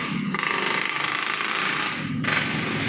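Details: Yamaha Mio carbureted scooter with a no-start complaint, body panels removed: starter spins briskly with an even rapid whirr, no clicking or dragging; brake switch, starter button and wiring tested normal, relay next to check.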